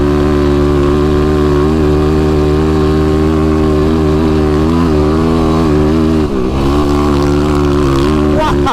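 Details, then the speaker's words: YFZ ATV with a tuned Vortex ECU (replacing the flashed ECU) under load over rough chop: a steady, clean single-cylinder drone with no stumbles, cut-outs or popping. Power delivery is smooth and linear. "That is YFC power right there. That's very linear, very straight."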